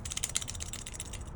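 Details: Jeep Gladiator pulley removed during belt and pulley replacement, hand-spun: a dry, gritty clicking rattle that slows and fades as it coasts; worn bearing behind months of squeaking under the hood.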